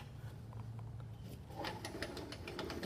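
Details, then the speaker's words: Honda HRR216 lawn mower after replacing rear wheel, drive pinion and sprocket (axles and pinions had no lubrication); wheel gives light evenly spaced clicks with no grinding or skipping, healthy drive ratchet. "Click, click, click. Stop."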